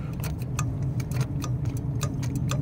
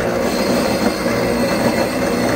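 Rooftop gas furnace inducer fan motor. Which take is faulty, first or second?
second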